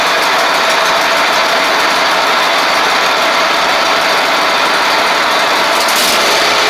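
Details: Ferris stand-on mower with Briggs OHV twin after repair of a one-cylinder misfire: loud, steady, even run, no misses or stumbles, both cylinders firing cleanly.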